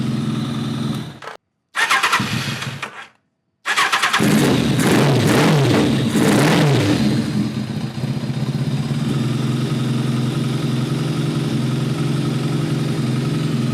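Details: Kawasaki ZRX1200 after cleaning ethanol-clogged Keihin CVK carbs: after hesitant starts the engine blips unevenly and settles to a lumpy idle; diagnosed as a carburettor jetting problem.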